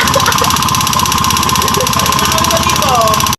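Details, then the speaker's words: Honda Beat FI scooter whose engine suddenly became very noisy. Loud, rapid, even tapping knock rides over the idle, harsh and clattery. A connecting rod fault was suspected; cause not confirmed. "Okay, so ayun nga, ang tunog naman talaga nga ng makina niya ay napakaingay. So possible nga talaga na may katunog siya ng connecting rod."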